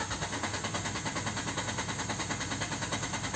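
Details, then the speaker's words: Peugeot 206 CC running on E85, after new spark plugs and fuel filter, warm after a test drive: the starter churns at about three even pulses a second but the engine never catches, a hot crank-no-start. "Tu vois, ce coup-ci, je l'ai éteint. On essaye de la redémarrer."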